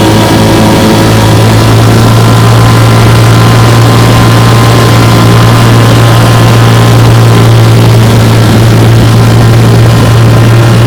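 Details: Restored 1958 Johnson 3 HP JW14 outboard (restore number 90), fully rebuilt: magneto, lower unit, gear case. Warm start, pushing a boat about five miles an hour on a lake. Steady, even buzzing two-stroke drone with no misses or stumbles: normal running.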